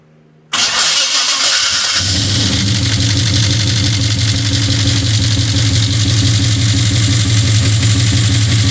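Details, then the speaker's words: 1972 Chevy truck V8 being restored: fires up to a loud, deep idle with a light, fast ticking under it; owner says one or two valves still need adjusting and suspects them, not confirmed. "I do have a few more valves I need to adjust prob probably one or two but um I uh that's okay um it's not a big deal overall"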